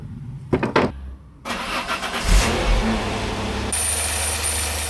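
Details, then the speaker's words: Peugeot 605 3.0 V6 PRV after inspecting and cleaning the ignition, where moisture was found: catches after cranking and settles into a steady, smooth idle with a light rev, no misfire or hunting; large improvement. "On dirait qu'il y a un vaste progrès."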